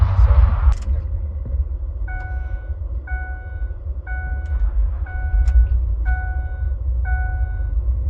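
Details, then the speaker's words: 2005 Ford F150 that would not start after refuelling, restarted after a 5-gallon fill-up with a new EVAP purge valve fitted: catches quickly into a low, steady idle with door chime pinging; faulty purge valve was the cause; normal start and idle. "look at that beautiful that was it purge valve was uh faulty"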